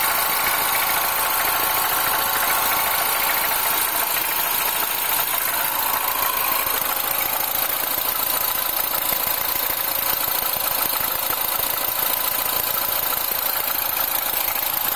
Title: R56 Mini - Cold Start - Timing Chain noise